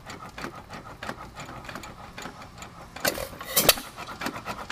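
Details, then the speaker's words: 102-year-old hit-and-miss engine, bore never opened, warmed up on a hot day: light, even knocks about three a second with a few louder clanks while coasting; about 30 knocks per coast on average, normal. "this next time around we're going to go ahead and count how many knocks it's going to be"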